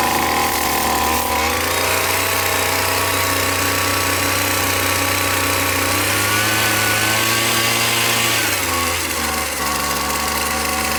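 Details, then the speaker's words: McCulloch T55 CLS line trimmer, previously not starting without fuel down the spark plug hole, after tightening loose cylinder head bolts: buzzy two-stroke note holds steady, climbs smoothly with throttle and settles back; running cleanly. "as you have seen I managed to repair my McCulloch whipper snipper where the problem ended up being that the bolts which secure the heads the engine had come loose over the years"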